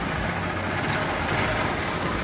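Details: 2014 Honda Titan 150 after replacing the rocker arm and restoring top-end lubrication, which had cured its engine noise. A steady, even single-cylinder idle with no ticking or knocking over a low rumble. Running smoothly.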